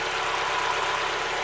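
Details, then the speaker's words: Mazda Miata, about 150,000 miles, idling warm right after Seafoam treatment: light, even idle with no tapping. Lifter tick pretty much gone, though a cold start is still to be checked. "the lifter tick is pretty much gone I won't know until I Colt started tomorrow but right now like it's running smooth it sounds good the idle sounds nice this is after the seafoam treatment"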